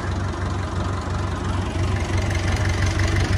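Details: Massey Ferguson 290 diesel tractor after bleeding air from the injector lines to fix a no-start: steady, even low diesel chug at idle, smooth with no misses. Normal, healthy idle.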